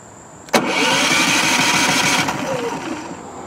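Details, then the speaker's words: Brand-new Westinghouse iGen4500 inverter generator, fuel on, efficiency mode off, push-button start: it catches with a burst, runs raggedly a couple of seconds, then dies. It fails to start and stay running. "Look at that, and it shuts itself off. It should have started. Let's try it again."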